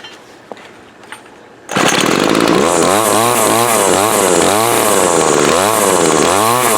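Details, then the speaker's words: Older Craftsman 24cc 17-inch two-stroke gas trimmer, thrift-store find: starts after handling, then high buzzy note with steady rhythmic revving near four per second; runs strong, needs new fuel lines as old ones shrank. "the lines are shrinking down over time and it actually runs really good pretty good weedier with some new fuel lines on it"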